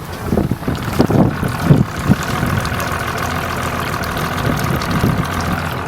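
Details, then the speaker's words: Boat engine cold start: self-primes without the bulb, catches quickly and settles into a steady, even idle with low rumble and water slap; runs cleanly. "so what it does the engine self primes just wait a few seconds there we go just starts like"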